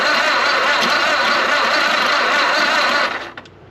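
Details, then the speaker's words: 1929 Ford Model A Doodlebug after years sitting, on a weak 6V battery; quick buzzy starter whirr for about three seconds, engine turns over slowly and doesn't catch. Slow cranking, owner suspects the battery. "it turns it over that's good uh doesn't turn it over very fast uh I don't know if that's cuz my battery Is Not Great"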